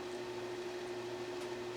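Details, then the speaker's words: Amana room air conditioner: only a steady fan hum with a faint high tone, no compressor thump, and the air comes out merely warm or slightly cool. Compressor suspected not running; cause unconfirmed. "I mean I wondered figis here the palm I don't think the pump is running"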